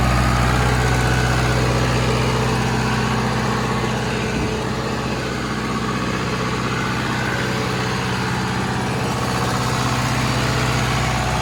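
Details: 40 kW John Deere diesel generator trailer at 3722 hours: steady, even low diesel rumble with a constant beat, no knocks or misses; normal, smooth idle.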